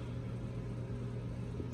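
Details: Vevor 5kW diesel parking heater on heat setting 5, powered by two 18V 4Ah Ryobi batteries via converter at 11 running volts: smooth, constant low burner and fan hum, no surging or sputtering; running steadily.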